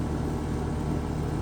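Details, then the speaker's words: Home AC outdoor unit on an 89-degree day: low, steady electrical hum with a fan-like hiss, and the compressor tries to start but fails. Owner suspects a faulted capacitor. "So it was trying to start, but didn't. So that gives me a clue."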